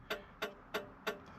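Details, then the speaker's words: Plymouth Satellite after gauge swap and LED dash lights, headlight switch faulty: crisp even flasher clicks about three per second, still ticking for unknown reason; owner says flasher sounds on its last leg, cause unconfirmed. "now that flasher sounds like it's on its last leg I don't know why"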